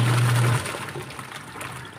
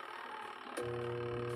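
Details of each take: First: Washing machine after tightening a loose screw the owner had left out: motor hums steadily, pauses with water sloshing, then hums again as the wash timer runs; normal wash agitation, turning and reversing as it should. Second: Washing machine whose wash motor only hums weakly, holding a low steady electrical hum with no spin-up; the wash motor is the faulty part.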